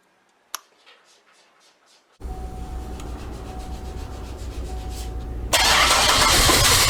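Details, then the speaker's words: GM 3800 Series II engine just overhauled and installed, start after replacing a sensor: cranks, catches, runs uneven and stumbling before a loud rev; still runs badly, scanner showed cylinder 6 misfire from a non-working injector. "well that helped but it still runs really bad so we plugged in the scanner and it told us that cylinder number six was misfiring we discovered the injector was not working on that cylinder"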